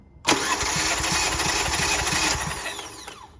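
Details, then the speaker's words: 2018 Kia Forte compression test, spark plugs out, cranking one cylinder; even cranking beats about three per second, steady with no hiss; healthy compression just over 180, settling to just below 180. "All right, so this one's at just over 180. So we'll call this one 180."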